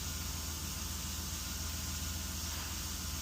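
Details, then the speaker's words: Chevy Tahoe that had code P0128, erratic coolant sensor temperature readings, and a fan that stayed on, heard after the repair: a steady, even idle. The fan has not come on after 25–30 seconds, where it normally would within 5–10. "Normally, the fan would have come back on within 5 to 10 seconds. And I can say wait over 25 to 30 seconds now. and the fan is not on."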